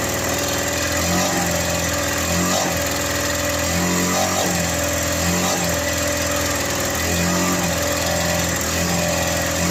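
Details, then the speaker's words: Victa lawn mower running but throttle adjustment does nothing; it stays on full revs, and owner suspects something inside is holding it at full speed. Earlier it made a weird noise when pushed. Constant high buzz that never drops: engine stuck at high speed. "as you can probably hear it's running but no matter what I do with a troll it doesn't adjust anything so there must be something in there which is just having It On full Rev"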